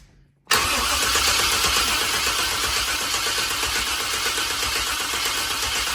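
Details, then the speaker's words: Long-sitting square-body dually truck, in park, cranking on a strong battery: the starter spins at a steady fast chug for about five seconds but never fires. Crank no-start; they note it also needs fuel. "That spins much better than a diesel with that battery. It also needs fuel."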